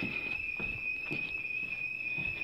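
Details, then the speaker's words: Home security system on test/trial, with the siren triggered in a two-story house. Piercing, unbroken high tone at one pitch with faint clatter underneath; intrusion alarm sounding loudly before being turned off by remote. "okay it is set off you might or might not be able to hear it at this point it's it's kind of loud I mean you can definitely hear it you'll probably wake up"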